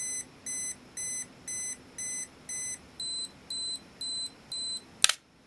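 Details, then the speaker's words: Olympus XA2 35mm film camera with batteries, self-timer running. Even high beeps about two per second, pitch shifting near the end, then a sharp shutter click; the self-timer and shutter work normally. "And it's also got a self-timer function, so we can activate that and see that the light is blinking and counting down."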